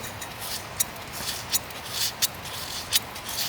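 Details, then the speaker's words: BMW M Sport Tourer water pump removed after a coolant leak, turned slowly by hand: dry, scratchy grating in uneven bursts. Water pump bearings have failed, with about 0.5 mm of play and moisture behind; the new pump is silent. "So the bearings have gone, and it does have maybe only 0.5 millimetre of play, but that is enough, along with that grinding, to make the noise."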